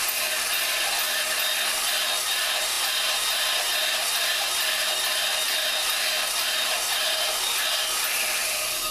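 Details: Lapping a valve on a 4.7 Dodge cylinder head, spun by a drill through a rubber hose with grinding compound. A steady, gritty hiss of abrasive paste cutting as the valve spins against its seat, even and uninterrupted.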